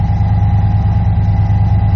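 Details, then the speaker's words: 1993 dually truck idling around 1200 rpm with engine-driven York air compressor running at about 100 PSI: steady even idle with smooth drone and constant compressor hum; sounds healthy. "We'll start it up real quick, let the compressor run a little bit."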